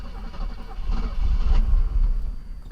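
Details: Classic Mercedes, not run in over five years, secondhand pump fitted, worn leaking fuel line, oil put in the combustion chambers: starter churns in uneven low surges, engine catches briefly but won't fire; crank no start, flooded by the oil.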